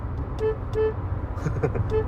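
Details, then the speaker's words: 2022 Hyundai Creta horn: three short toots on one flat pitch. It is a single snail-type horn with no second tone, working normally, though the reviewer wishes it were a dual horn. "lalu yang kedua adalah suara klaksonnya bukan suara klakson yang milik e seperti milik Toyota race dia sudah kason keong tetapi sayang sekali kenapa cuma satu jadi bunyinya Hanya seperti"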